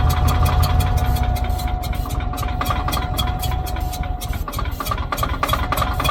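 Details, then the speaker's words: Old Caterpillar D6 dozer diesel cranked by starter with steady low chugging, about three beats a second, no firing; cranks but won't start. Suspected fuel starvation: fuel leaking around sediment bowl, possibly drawing air; plan to crack injector lines to bleed. "okay we really poured on that fuel now okay let me break uh some of the inject I'm going to put some fuel in it I'm going to bring a rinch to break the injector lines loose and get there out of it"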